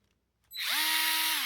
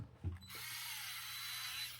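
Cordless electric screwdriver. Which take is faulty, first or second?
second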